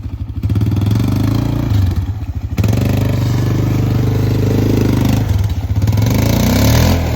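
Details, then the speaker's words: Arctic Cat 400 4x4 ATV single-cylinder, muffler baffles previously cut and drilled out: loud, hollow, echoing exhaust through blips and idle, with small backfires on throttle lift-off. "if you listen to this thing running it kind of sounds like a loud echoing exhaust I don't know it doesn't really sound right"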